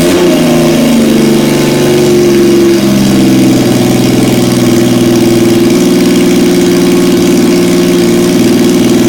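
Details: 1977 Yamaha XS750, first start in 30 years, rebuilt carbs, velocity stacks, new oil, filter, plugs, resistors and throttle cable, auxiliary fuel tank: loud, even drone with smooth rev rises and steady idle, no knocks or misses.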